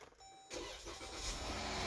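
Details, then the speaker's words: Engine just after repairing a ticking/knocking problem, final test: quick, clean start settling into a very quiet, smooth idle. The earlier minor valvetrain tick is gone. "there we go ooh talk about freaking quiet now"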